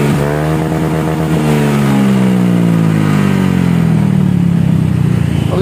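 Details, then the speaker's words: Honda Scoopy scooter with reworked CMS aftermarket exhaust, after rebuild from tinny sound: revs and settles with soft, rounded note, no rasp or tinny crackle; exhaust sounds healthy. "Oke kita coba di hidupkan ya sekarang ada seperti ini bro lebih lembut suaranya ya"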